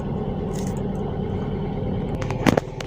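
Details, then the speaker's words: Fuel-injected car, cold engine on a morning warm-up, just started: steady raised idle above 1,000 rpm with an even low drone and a couple of clicks, normal; should settle to 600–800 rpm once warm. "Nah ketika mesin baru menyala seperti ini nah idel nah idel seperti ini itu di atas 1.000 itu normal patokannya yang pertama ini ya"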